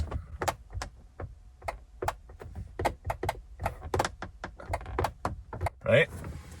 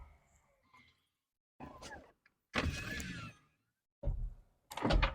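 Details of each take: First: 1998 Corvette C5 driver's door: sharp dry clicks each time the window switch is pressed, no motor hum, window does not move; power reaches door and switch, so owner suspects the window motor's points or a motor needing a jump start. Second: 1998 Corvette C5 power window after repair. Short clean motor hums of about a second each as the glass travels, ending in soft stops with no grinding or straining; window works properly.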